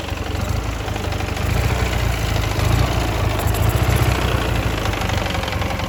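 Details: Ural motorcycle engine at low idle with an irregular knock of about three to four beats a second over the firing; source unconfirmed.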